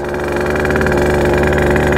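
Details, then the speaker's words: Sherco 50 supermoto with 77cc Metrakit two-stroke, 130 main and 42 pilot jet: blubbery, uneven low revs bogging and loading up; running rich as float bowl overflows, pilot to be dropped. "my pilot i'm at uh 42 you see it's just like loading up because that bowl is overflowing"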